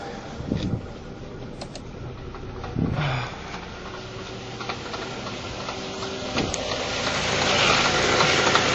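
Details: Honda Fit at idle with the air box removed, at the AC compressor: steady light ticking about three per second, harsher rattle once the AC engages. Compressor was repaired once before; a worn bearing/front shaft is suspected, and replacement is concluded.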